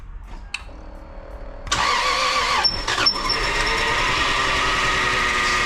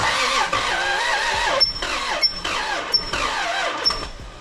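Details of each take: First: Lexus IS300 2JZ, first start after new engine and transmission mounts: brief starter whirr, catches at once, settles to steady even idle; only power steering fluid leaking. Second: Lexus IS300 with 2JZ engine, first start attempt after new engine and transmission mounts, fuel in tank, battery charging: laboured uneven cranking bursts, no catch, sounds binding; owner wonders if seized, later finds bell-housing dust cover sucked into flywheel, unsure that's the cause.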